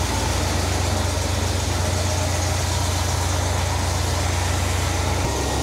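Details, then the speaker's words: 1971 Cadillac DeVille 472 V8 on first start with freshly restored Quadrajet carburettor: deep, slightly uneven, low lumpy idle because the rebuilder set the fast idle too low; revs pick up a little, idle stays shaky, owner suspects an internal engine cause. "all right same drill as last time they got the fast idle set pretty low I don't know why they thought that was a good idea that picked up a little bit there nice coming on up"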